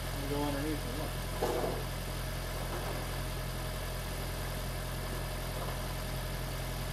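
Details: Freshly swapped 2016 4th-gen engine in a 2012 Prius V, just after first start, running in maintenance mode on jack stands before coolant air purge: a low, steady hum at an even idle with no misses, ticks or knocks; a normal, healthy idle.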